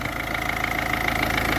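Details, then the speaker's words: Diesel car after fuel filter change and bleeding air from the fuel system: even, steady idle clatter with regular beat and no misfire or hunting; runs normally though some bubbles remain in the line. "okay so but we have still we have some bubbles but uh i don't care it's working"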